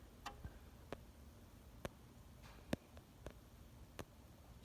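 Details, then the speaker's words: Chamberlain garage door opener relay chattering with sharp irregular clicks, about eight in five seconds, as a cold solder joint on the relay board breaks and remakes contact, so the door stops or won't open; fixed by resoldering. "yeah it's one of those relays picking um what's happening is it's unpicking and then it loses connection and the garage door doesn't open or it gets stuck"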